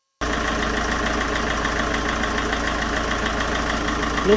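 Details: 2.0 HDi 163 (RHH) diesel after replacing leaking injector seal and broken injector holder, cover off: catches and settles into steady, even idle with no misses or knocks; no longer leaking, normal.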